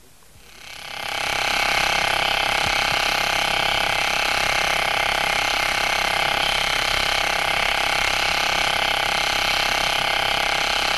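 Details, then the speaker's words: 60309 deep groove ball bearings at 2,000 rpm under 20,000 N load, recorded with electronic stethoscope: steady rolling hiss with fine rapid even ticking from damaged inner rings, the second less severely damaged. "here comes a bearing with a damaged inner ring and another damaged in a ring though this time the damage is not so severe"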